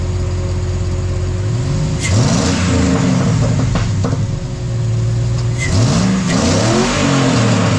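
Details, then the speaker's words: 2005 GMC Yukon V8 revved in blips with new Flashark headers on a straight pipe with cats: raspy puffing tick over the exhaust note from a leak at the header collector; the owner suspects the donut and gasket seal. "Nice and quiet. Sounds like it. Yeah, she's leaking."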